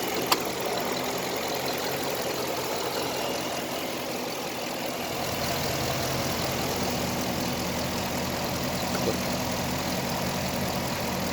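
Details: 6.4L Hemi V8 idling with a fast, light clicking through the steady engine hum; the clicking appears to be caused by the air conditioner when it is running, not confirmed.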